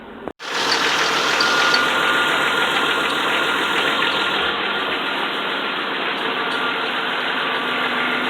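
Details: 1995 Jeep XJ engine started right after an oil change, oil pressure rising after about a minute: catches quickly and settles into a steady, even idle with some hiss, no knocking or misfire; healthy.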